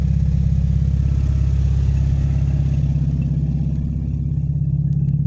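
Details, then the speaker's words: Rebuilt 1988 Chevy S10 V6, just refitted and restarted: steady low rumble with an even firing beat at idle, no knocks or misses; normal idle. "got it fired up running again down pretty good sound pretty good"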